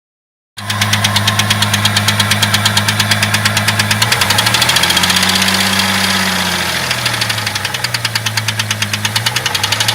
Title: Jeep 4.0 knocking noise cold engine